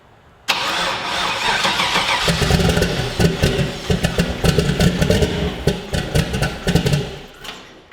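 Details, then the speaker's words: Volvo 240 wagon with swapped Gen 4 LS engine, ignition set to GM 58-tooth, first start: engine catches and runs loud but ragged and irregular instead of a clean idle, RPM error; crank sensor pins wired backwards. "It's running, as you can hear, but it's getting an RPM error."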